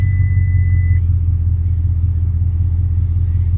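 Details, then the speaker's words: Salvage Audi RS7 after an accident, first start with no muffler at all: deep, even low rumble holding steady without dips or misses; normal idle. "there R is no muffler whatsoever in this bad boy and it sounds glorious oh my god with a beautiful sound"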